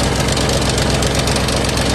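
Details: 2008 Ford Mustang GT (S197), sat a couple of months with a dead battery: steady, loud, rapid knocking at idle over the whole engine note; serious internal engine knock, engine to be replaced, cause not pinned down.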